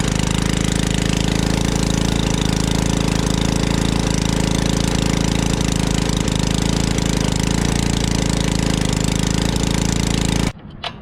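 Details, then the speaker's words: Generac Portable Products 01292-2 pressure washer engine, after carb cleaning: small engine drones steadily about ten seconds, then suddenly cuts out and stalls, not running at full power; cause unconfirmed. "And it died. Why did it die?"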